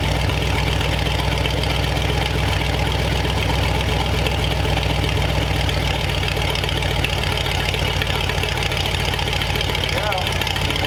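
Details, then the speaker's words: Replacement flathead V8 (35/6 block) for 1934 Ford on a run stand, idling to temperature, 185 after 22 minutes without overheating; loud steady low rumble, even idle, no tapping or misfire; normal idle. "all right so after i don't know 20 minutes half an hour of running the thing it did really well"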